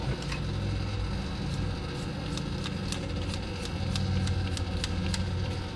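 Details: 1971 Dodge Coronet station wagon engine on its first run after 31 years sitting in a field: a low, uneven drone with irregular ticking and stumbles. Rough running on old spark plugs, which the owners think need replacing.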